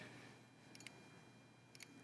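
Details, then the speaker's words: Restored Apollo DSKY during lamp test and clock display: two short bursts of crisp relay clicks over quiet room hum, surprisingly audible despite pressurized enclosed box; normal relay clicking on display update. "yeah it we weren't expecting the relays to be so audible um we had no idea we thought that since it's in a pressurized enclosed box they might not be but it makes a really really satisfying sound"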